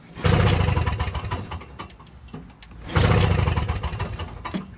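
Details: Toro Snow Commander 7HP R-Tek 24-inch single-stage two-stroke snowblower, hot day, primed and choked, good compression: two quick chuffing pull-start cranks with no firing; turns over but no spark, magneto to be replaced.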